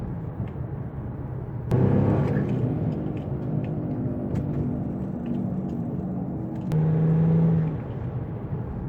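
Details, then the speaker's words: Infiniti G35 after replacing driver's-side wheel bearing: cruising off the gas with only low, even road rumble and brief engine pulls; previous humming/roaring on turns is gone. "that's it quiet that's it so that's it if you hearing that sound that I play from that last clip that's what it sound like me you got a buy will bear and then after as you can see quiet let off the gas let it cruise and it's just quiet"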